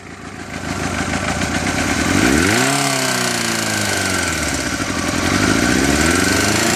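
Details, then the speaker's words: J2 engine revved up from idle: a sharp, loud clatter of about three to four hits per second appears above roughly 1000 rpm and is absent at idle. Source is the cylinder head or timing drive, cause undetermined. "donc là vous pouvez entendre qu'à priori on n'a pas de bruit mais par contre dès que je vais augmenter le régime on entend un claquement assez fort"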